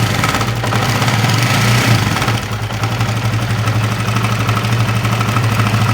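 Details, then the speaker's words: Honda CB150R idling unevenly with a loose, irregular rattle over the beat; mechanic hears a rough "kemrosok" noise, seemingly from the upper left of the engine, cause not confirmed. "Motor ini suaranya sangat terdengar kasar, kemerosok pada bagian mesinnya, tetapi sepertinya masih di bagian mesin kiri ya teman-teman ya, di bagian atas ya."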